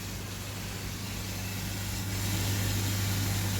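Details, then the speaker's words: Oase drum filter with replacement motor, switched on with water flowing and screen heavily blocked: low, steady motor hum, even tone, no grinding or rattle. Normal motor running. "Right then, the moment of truth. Let's go from off to on. Sounds promising."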